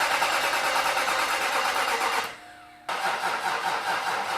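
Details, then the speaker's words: Nissan Titan with rebuilt VK56 engine, fuel pump fuse pulled to prime oil: starter turns slowly about three beats a second, pauses, then drags; battery off the truck seven months and dying. "so my battery's been off of the vehicle for seven months and i've used it for other things so uh the battery's dying"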